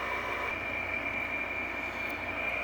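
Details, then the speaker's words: 2003 Frigidaire/Electrolux air conditioner, unused for over four years, on high: steady high-pitched whine over a loud airy rush, always this noisy, possibly worn fan motor bearings; it is also low on refrigerant. "all right so here we go on high just as noisy as it always was which is why i hated this thing so much"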